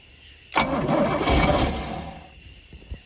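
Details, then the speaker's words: Boat engine tried for the first time in 21 years, about 80 degrees out: short burst of cranking with rough, uneven catches that never settle; owner suspects very late ignition timing, maybe insufficient fuel. "to fire it's got really late timing i can tell but it tried to fire"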